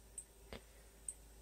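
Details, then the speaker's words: Honeywell heat detector wired to a 12 V fire strobe, cooling after hair-dryer activation: three faint sharp clicks as it resets and the strobe stops flashing; normal operation. "Yep, I heard the click on the heat detector. It means and the strobe's not flashing no more. So it means it's done."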